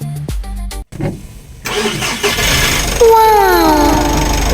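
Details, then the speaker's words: Mitsubishi L300 Euro4 diesel after battery replacement for a no-start: after music, engine catches on the first crank and settles into a steady, even idle; fault was only the battery. "Ah yan mga par ah [musika] one click na siya. So yun lang talaga naging problema ah battery lang talaga."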